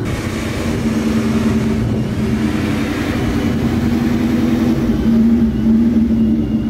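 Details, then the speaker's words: Vortech-supercharged 1999 Ford Mustang GT V8 at operating temperature with an idle rumble that swells and dips; the owner suspects a dirty MAF signal from a charge pipe too wide for the MAF housing. It drives fine. "but this is how it idles you can hear it it kind of fluctuates but when you're driving it it's perfect"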